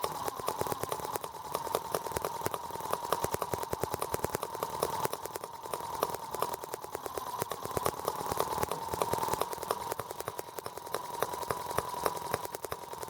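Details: R18 model radial engine, first start with replacement Hall sensor harness: sharp rapid uneven ticking pulses over a thin buzz; ignition now sparks but engine runs rough with new balance issues. Cause suspected, not confirmed.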